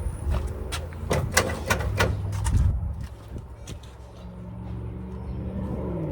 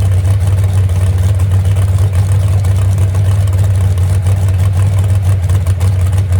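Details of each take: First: Moonshiner hot rod first start in about 7–10 months after crash overhaul, no throttle: uneven lumpy thumping and stumbling before settling low; misfire, owner suspects crossed spark plug wire. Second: Moonshiner hot rod V8 restarted after 10 months and full overhaul following a crash, after fixing two crossed plug wires. Deep, steady burble with even firing, no misses or knocks: normal idle. Temperature gauge not working; possible radiator leak.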